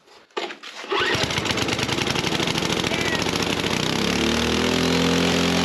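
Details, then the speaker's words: 1968 Ariens Sno-Thro snow blower, abandoned over 20 years, first runs in a freezing shop: after a rough catch it runs ragged and uneven, speed wandering upward instead of settling; clearly a governor problem. "All right, that clearly has a governor problem."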